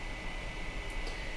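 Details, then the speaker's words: 2008 iMac in a cool quiet room, all fans already replaced, store could not reproduce: constant airy hiss with thin steady tone near two kilohertz, fan stuck at full speed; fan control board suspected, not confirmed. "Granted, the Mac store is very loud, so perhaps they cannot hear it due to customer noise, but in a room that is very quiet, you can hear this all day long."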